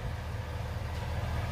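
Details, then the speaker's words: Owner-built truck started after sitting unused a long while, with the battery charged and the electric radiator fans wired directly to battery power: a low, steady idle rumble with an even beat and no knocks or ticks. Normal idle. "running she sounds beautiful man"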